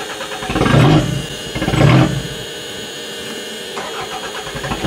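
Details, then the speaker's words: Used Toyota being readied as a demolition derby car: two quick strong revs, then the engine sags into a weak, uneven stumble and dies as soon as the throttle is released, so it won't hold idle; owner suspects a misfiring cylinder. "As soon as you take your foot off the gas, it dies."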